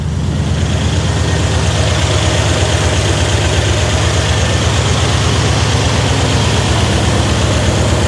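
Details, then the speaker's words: Older Dodge Ram settles into a deep, steady idle with no misses or stumbles after repair; likely cause was bad cap and rotor poorly installed by customer. "But whatever, it doesn't matter. It's running, it's fixed."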